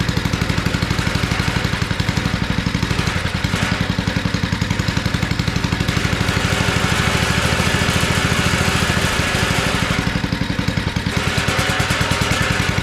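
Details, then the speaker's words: Abandoned tiller, first run on two-cycle gas while leaking fuel: loud, fast chuffing that surges and sags a little. It keeps running and revving only on choke, so the carburetor is clogged. "that carburetor needs to be cleaned up that's a sure sign when you you can rev it up but it only revs up on choke and that's a sign that carburetor is clogged up and it needs to be cleaned up"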